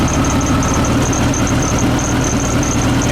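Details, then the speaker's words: 1972 VW Beetle with reinstalled Weber 34 ICT carbs, not yet balanced: steady fast idle that won't drop, throttle not returning to idle despite extra-taut springs; linkages suspected, moving them raises speed. "it doesn't want to return back to the idle position and I've stretched those Springs extra taut just to make that happen and it still doesn't want to"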